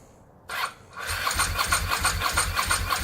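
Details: Ducati 916 under rebuild, first start with the fuel pump hooked up outside the rusty fuel tank after priming: quiet priming, then the engine catches and settles into an even, lumpy beat of about three pulses a second; running normally.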